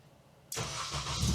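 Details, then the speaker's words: Supercharged FN2 Honda Civic Type R with an Ecutek tune, started on a hidden map selected via the cruise-cancel button: it fires at once but settles into a lumpy uneven idle that sounds like it's misfiring; rough running after start. "Oh, it's running, but it's not happy. Oh, that doesn't sound very good at all. Okay, it's better than it was. It's now running, but it sounds like it's misfiring."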